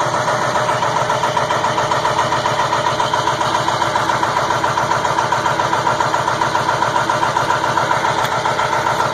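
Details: 2002 Ford F350 7.3 Powerstroke at about 34°F, just caught after about 8.5 minutes of cranking: cold clatter about two and a half beats a second, loping unevenly, white smoke cloud; rough cold idle, cause unclear.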